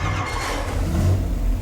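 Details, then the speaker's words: Cadillac 500 big block on the dyno after changing break-in oil to Royal Purple synthetic and a brief cool-down, pump-gas street build. Deep, strong V8 roar under full throttle, no rattles, knocks or misfires. Normal full-throttle run. "man that thing sounds good we'll give it one more try just for john"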